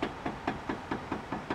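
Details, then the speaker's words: Toyota Vios suspension noise check, wheel shaken by hand near mic: sharp dull knocks about four a second from free play at the tie rod end (rack end), which is worn out and a source of the noise. "Sikit akan tarik ke sini. Sebab dia ada free. Dekat bojeng ujung tu ada free. Sikit tarik ke sini, sikit ketuk ke sini. Okay. So, rear end ni memang out. Memang dah kong. Salah satu punca menyebabkan bunyi memang boleh datang daripada rear end."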